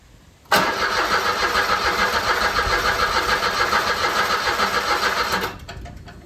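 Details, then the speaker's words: 2008 Smart Fortwo 451 Passion Cabrio, stood outside 2.5–3 years, first try on a fresh battery: starter cranks steadily for about five seconds with no firing; owner suspects no fuel or 3-year-old fuel; crank no start. "Almost. Sounds like it wants to go, but there's probably no fuel, or the fuel is probably 3 years old."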